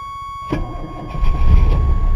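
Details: 1985 Chevy S-10 on battery that won't hold charge (12.25 V after charging), 50 A charger connected: steady whine then starter grinding engine over, heavier toward end, doesn't fire; battery too weak, fires after more charge and choke closed.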